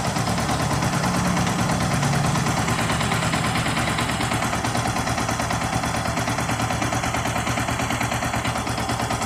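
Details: Yamaha R15 engine after teardown and reassembly to cure rough engine noise: crisp, even single-cylinder idle about three pulses a second, no top-end clatter; engine now smooth.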